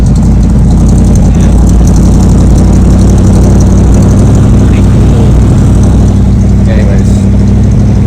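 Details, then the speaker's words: 1980 Dodge B200 camper van carbureted V8 after exhaust work, carb adjusted and idle raised because it stalled at stops: deep, even idle with steady exhaust rumble, no misses, stumbles or knocks; normal idle. "I adjusted the carb a little bit and idled it up because it was shutting off every time you were at a stop sign."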